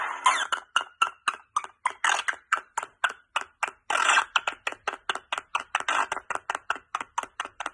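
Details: Lightsaber soundboard playback chopping into short rapid bursts about four per second, stuttering instead of a clean hum; glitching sound likely caused by a bad or corrupted SD card holding the sound fonts.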